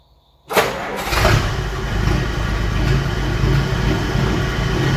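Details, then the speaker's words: 1951 Dodge M37 military truck, cold start with a little choke: fires almost instantly and settles into an even, steady idle with no ticking or misfires. A healthy cold start. "let's fire it up see how she sounds should have been running like two weeks so hopefully with a little bit of choke she'll start right up"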